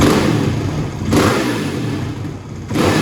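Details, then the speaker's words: Kawasaki KLX450R dirt bike, fuel screw about three and a quarter turns out: three throttle blips return quickly to idle without hanging, but the exhaust still pops and shoots flames with thuds on decel; owner suspects the mixture is still lean. "when you blip the throttle it doesn't hang a high idle it comes back down like it shoot pretty quick but it's still shooting flames out of the uh out of the exhaust i think uh that's still a bit lean"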